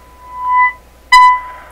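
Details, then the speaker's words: Canadian Westinghouse Model 636 radio, 1000 Hz test tone at about 30% modulation from signal generator, tuning swept through: steady high tone swells and drops twice, sounding harsh and odd; intermittent fault, cause not yet known. "That sounds very odd to me. Let me just swing through it. Wow, that was pretty strange."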